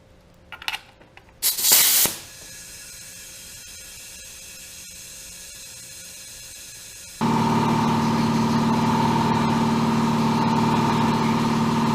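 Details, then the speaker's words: 1980 Camaro rebuilt 5.7 350 SBC that began pouring oil, leak-down test at 100 PSI, engine off: steady hiss then a louder rush of escaping air as this cylinder reads 65, the bad cylinder; rebuild planned. "65. that's horrible so that's my cylinder that's bad that's the one"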